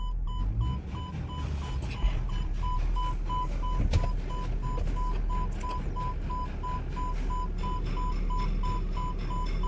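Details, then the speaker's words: 2020-2021 MG Hector Sharp Plus petrol automatic, reverse not engaging while first and second work, TCM codes present: sharp high chime repeating in short pulses over quiet idle; open circuit in TCM power supply. "तो ये हमारा reverse gear नहीं आ रहा है। बाकी first second gear आ गया है लेकिन रिवर्स नहीं आ रहा है।"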